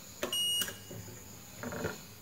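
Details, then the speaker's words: PS2 Fat that won't power on green at reset: one steady high beep on the continuity meter across a capacitor/elco, which should not beep, showing a dead short on the board. "harusnya enggak bunyi untuk Elco dan kapasitor itu harusnya nggak bunyi-bunyi"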